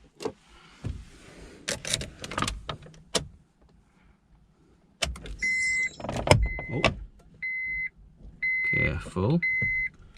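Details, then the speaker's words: Honda Civic MkVIII power windows tested after an instrument cluster replacement: several smooth, even motor whirs of a couple of seconds each, starting and stopping cleanly with no grinding or straining; windows operating normally. "Right. These all work. That works. I can hear it working."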